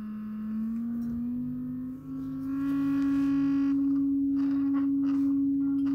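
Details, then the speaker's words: Rogers LS3/5a woofer from a badly overdriven speaker, steady low sine tone: harsh buzzy output with a gritty rasp; spider, surround and cone look fine; voice coil suspected overheated, lamination cooked and full of muck. "I think the voice coil's got hot, the lamination has kind of cooked up a bit, and it's full of muck."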